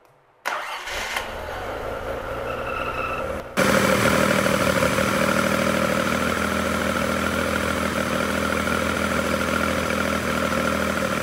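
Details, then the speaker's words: Race-spec Nissan L28 with Datsunworks 24-valve KN20 head, exhaust audible, first start: short crank, fires and settles into steady even burble, no knocks or misses, warming up before revs; normal cold start and warm-up idle. "so we're warming the engine up now we've got to get the engine temperature up once that's up we can give it some revs but it sounds nice it's burbling away it's got a very nice exhaust on it to help give it a good sound"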